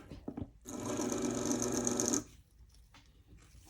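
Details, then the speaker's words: Athearn Band-Drive F7 model locomotive motor spun on its own in forward: short burst of harsh, buzzy whine with a rattly edge, running rough and noisy after the wheels seemed to short out. "let's try it in the forward position God that sounds awful not a lot I can do"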